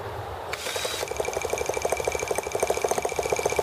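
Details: T26 model engine at 3°F (-13°C), after a valve job and rocker-arm and carb tuning: a drill starter whines over fast, uneven coughs and sputters that never settle into a run. It sounds flooded; owner blames extreme cold, with the carb freezing.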